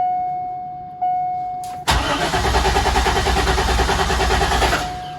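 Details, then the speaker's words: Abandoned Corvette C5: a chime, then the starter cranks steadily at about three turns a second for three seconds without catching; the fuel pump did not prime, so no fuel is suspected; crank no-start, no tach movement. "I want to see if the fuel pump primes no so there's no fuel so it's definitely not going to start but let's crank it over"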